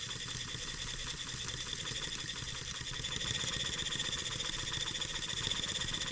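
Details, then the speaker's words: Restored German showman's steam engine on a trial run at about 2.25 bar, noisy gears removed. Quick, even chuffing with light mechanical patter that picks up slightly; smooth, healthy running with no knocks. "shut that off we don't have to listen to that boiler taking noisy gears out of there listen to how smooth that thing runs"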